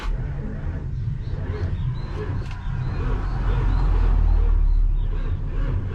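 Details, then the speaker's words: 1984 Nissan CKA50BT tractor truck, RD8 14,313cc V8 diesel, parked a while, after servicing a starter with seized brushes and burnt armature: heavy, sluggish crank at about four beats a second, no firing; still slow cranking, no oil pressure yet. "the starter is tumbling but it's still tumbling very um dead it's not tumbling like it should be"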